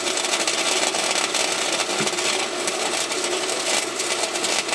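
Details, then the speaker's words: Harbor Freight Titanium 125 flux-core welder in cold, bitter outdoor weather, welding the smokestack back onto a thin muffler on a John Deere 210LE loader: an even, continuous crackle and sizzle with no pops. The arc is smooth and stable. "The little Harbor Freight job's doing decent for being so cold and bitter outside."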